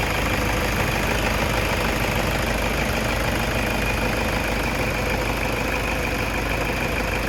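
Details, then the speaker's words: 2010 Toyota Innova diesel 2KD, warmed up, check engine light and sudden stalling complaint: even idle with a steady rattle about three beats a second, no misfire or stumble; engine running normally. "Nah, ini sesudah kita pindahkan ke bengkel ini, kondisi mesinnya itu normal ya, Teman-teman. Tidak ada pincang sama sekali."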